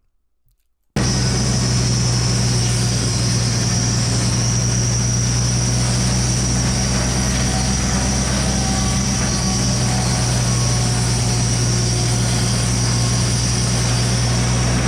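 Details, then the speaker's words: 48-inch diameter sawmill blade after replacing lopsided resharpened steel bits with new ones, which had made the saw run hot: steady low drone with a clean high ring through the whole cut, no wobble or thump; blade running true. "listen to how this saw sings now and listen to How it sounded when we first"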